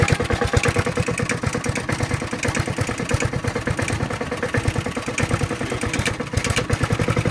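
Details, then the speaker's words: Honda HRT216 mower, stored outside since end of February with no fuel, just refuelled and cold-started (owner first thought a valve was stuck): slow even single-cylinder putter, idle screw fully down, lowest and smoothest idle it has run. "wow I have the idle on the ID on down the nothing so it's the lowest I've ever got this"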